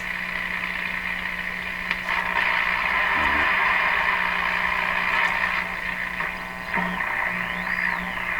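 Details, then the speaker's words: Viking EMU61 tube radio with the chassis grounding capacitor clipped out, awaiting replacement: steady hiss and tuning sweeps over a low mains hum; the set receives and sounds like a normal working tube radio. "the radio appears to be working sounds sounds kind of normal let's see if we can pick up the station"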